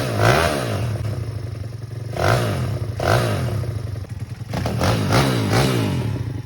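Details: Pitbike (KXY110F frame) with a swapped YX140cc single-cylinder engine, blipped in uneven bursts with revs surging and dropping and a clattery, stumbling note between blips; running rough, with a new CDI box and carburetor planned.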